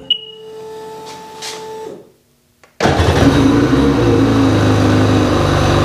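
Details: Sea-Doo XPDI after diagnosing a start-stall and uneven acceleration problem, now fixed: a few beeps, short silence, then engine catches and holds steady, even run with no stumbling or surging; normal running.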